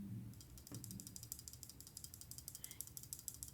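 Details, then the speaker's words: Pocketknife shaken: light quick irregular metallic ticks from something loose in the handle; owner suspects a screw or barrel under the back spacer, couldn't find the cause after disassembly. "hear that rattling i have no idea what that is it's it's this screw or the uh barrel in there under the back spacer"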